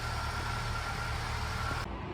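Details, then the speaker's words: 2008 Ford EcoSport, previously no-start (DTCs B1681, U2199, U2510), idling steady and even after repair, no knocks or whine; neglected engine but running well, warning light off, low on fuel. "Está parejito el motor. Está un poco abandonado, pero el motor está trabajando bien."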